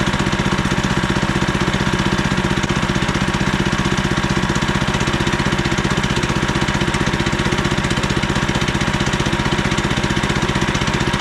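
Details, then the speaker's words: 15HP Harbor Freight Predator engine newly swapped onto a Frontier OS27 sawmill in place of the 13HP Briggs & Stratton, running after its first pull-start. Firm, very regular single-cylinder beat at constant speed, no hunting or misfires; healthy and easier starting. "That's the engine swap. Use the Predator engine. It runs a lot better and a lot easier to start."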